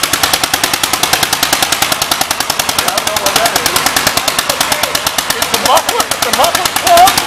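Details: 1938 Cooper Stewart export Gravely, imported from Darlington, England, running: sharp, evenly spaced exhaust pops about ten a second, steady and crisp; normal running.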